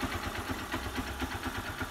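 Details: Honda Bros motorcycle after engine rebuild (new cylinder kit, valves, gaskets, oil), previously smoking and leaking oil: steady, even single-cylinder idle with regular low thumps, no knocks or rattles; normal idle.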